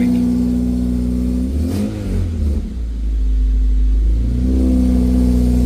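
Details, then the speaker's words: 2006 Honda Civic Si K20Z3, headers installed before the TVS-1900 supercharger: engine revs and drops back with a rough puffing rasp; loud exhaust leak from underneath at the header connection, likely needing welding, still present after adjustment. "This is just with the headers. Oh, we got a fat ass exhaust leak."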